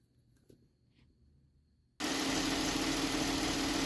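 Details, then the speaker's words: Engine idle after replacing a wobbling alternator pulley that caused a rattling, knocking noise: after a quiet start, a smooth, even idle with a steady hum and no rattle or knock from the pulley. "So that's what it should do when you change that pulley on the alternator."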